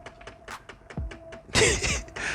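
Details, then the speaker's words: Dodge Ram Promaster 2500 van, 3.6 Pentastar V6, in for oil leaks: with the engine off, just opening the door starts an actuator ticking, a light even tick about five times a second heard inside the quiet cab. "just opened the door and the actuator already started ticking. Funny way to open the hood."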